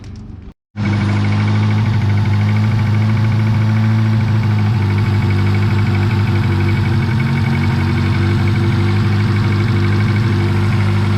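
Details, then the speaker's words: 1986 Honda Civic, carbureted, cold on choke, air cleaner off: raised, steady choke idle with even rumble; several broken, leaking vacuum ports, one on the vacuum block broken off and plugged; vacuum leak. "so so currently the choke is working and uh idling the car up as it should but i have a few uh vacuum ports that are leaking and broken so i'm going to address that"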